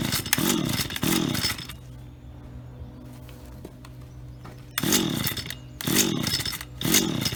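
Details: Auction-bought Stihl HT75 pole saw two-stroke, head cleaned, test run: crisp revs to full throttle dropping back to a steady, even idle; runs clean and works perfectly, normal.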